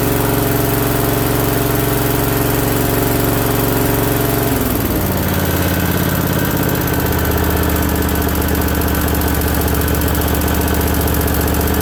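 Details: Briggs & Stratton Vanguard 20 hp V-twin with newly installed oil cooler, at first start on a battery charged overnight. Steady, even drone with a smooth pitch shift partway through and no knocks or misses; sounds real healthy, normal running.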